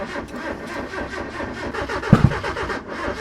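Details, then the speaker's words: Mazda Miata just fitted with a Speedyefi Speeduino plug-and-play ECU: engine catches unevenly, with a ragged stumbling idle and sharp pops it did not make on earlier starts; hard starting, cause unconfirmed. "Alright, as you can see, it's still not perfect. It just struggled really. It literally did not struggle before I came out here."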